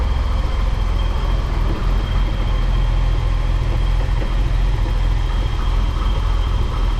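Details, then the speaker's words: BMW E28 M30 straight-six just after distributor cap and rotor replacement, which fixed its no-start: deep, smooth, even idle with steady low rumble, no misses. "And I can assure you it was the cap and rotor causing the no start issues. I've been driving this car almost every day since then and zero problems."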